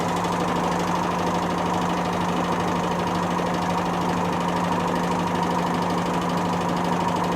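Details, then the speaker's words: Whirlpool SCW1112 washing machine before repair: loud steady roar with low hum and dense clattering as the drum spins at about 500 rpm or more, from very badly worn drum bearings starting to bang. "once it gets to like 500 rpm or more you'll hear it clattering and that's when the berries get really bad now they're starting to bang"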